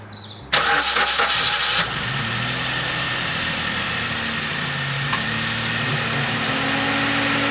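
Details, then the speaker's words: Opel Agila starting after exhaust repair and maintenance: brief crank, catches cleanly within a second, then settles into a steady, even, healthy idle. Normal start and idle. "It is a car. Did not explode. Great success. I think it works."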